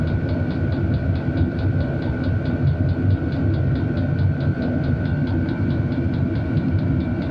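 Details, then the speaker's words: Cheap Chinese diesel heater at a cabin running on the high H setting: steady low combustion roar with quick regular fuel-pump ticks about four a second; runs normally. "okay so I can hear sounds like the fuel pump is going quicker we turn it down it's definitely slowed [Music] down"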